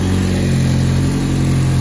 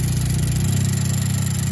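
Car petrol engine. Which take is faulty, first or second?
second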